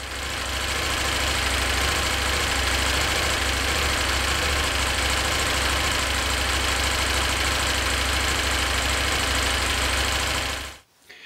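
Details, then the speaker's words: KTM 890 Adventure R twin idling before fitting a Dirt Tricks cam chain tensioner upgrade: busy fast ticking over the engine note, the owner's annoying engine tick. "so before the installation let's listen to the engine without the upgrade and then we're going to continue with the upgrade"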